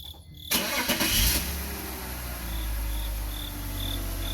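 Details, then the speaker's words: E46 BMW 330ci running: a short high chirp repeating about twice a second that gets louder each time the wheel is turned, attributed to power steering. Belt to be checked, pump feared. "And that noise that you're hearing, that's power steering. Turn the wheel, Mouse. Yeah, so it's the power steering. Every time he turns the wheel, the squeaking gets louder."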